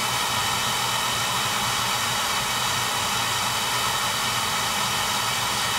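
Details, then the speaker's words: Oil burner after service: the Firomatic valve at the tank bottom had been changed and there was good oil flow but no start; new transformer fitted and electrodes fixed. Steady, even roar of flame and fan, no pulsing or rumble; firing cleanly, normal operation. "new transformer fix electrodes good spa good oil flow clean burn ahead so that should do it"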